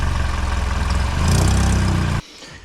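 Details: 2012 Hyundai Elantra idling a few days after new flex pipe install: quick even puffing tick over the exhaust note from a loose, untightened manifold flange gasket leaking.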